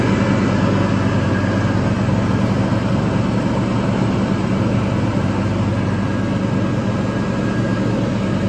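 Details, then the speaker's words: Toro TimeCutter 5000 zero-turn mower after maintenance with the deck refitted, blades engaged on a leaf test run: steady, even low engine drone under mowing load, no knocks, surges or squeals; engine healthy. "nicely only the blades get going off just the way it's suppos to"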